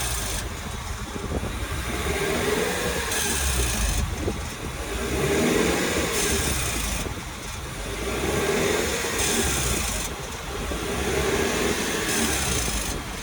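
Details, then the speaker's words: 2022 Lexus NX 350 turbo, noise appeared months into ownership, also on coasting under about 20 km/h and cold start; throttle blips bring a hissy, gritty rush swelling and fading with revs; dealer calls it blow-off-valve equivalent, owner suspects something loose or grinding. "this to me just sounds like something is loose or grinding"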